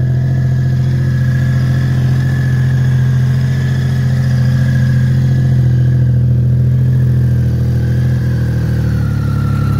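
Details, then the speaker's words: 1988 BMW K75 three-cylinder, first start after sitting 22 years, following replacement of rubber and fuel parts, a cleaned tank and a new battery: runs steady and even on choke, a smooth low hum with no knocks or misses. "Choke. It's running. I cannot believe it's running."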